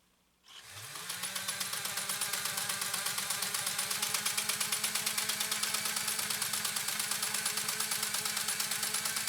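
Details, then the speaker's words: Pfaff 130-6 sewing machine sewing a decorative stitch, deliberately slowed down and then sped up. Quick, even ticking with no knocks or binding: normal running. "And I'm slowing it down intentionally right now to show you that I can slow it down. And I'm speeding it up now to show you can speed it up."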